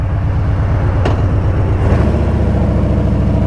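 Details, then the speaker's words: Harley-Davidson Street Bob with a Stage 1 tune, idling in neutral: V-twin idle with an off rhythm, surging from about 850–920 up to about 970–1,000 rpm. It levels out after a throttle blip, then starts again; began after tuning, cause unknown. "all right guys so it's happening right now you can see the RP M are surging up to like 970 you can hear kind of that off Rhythm RPM"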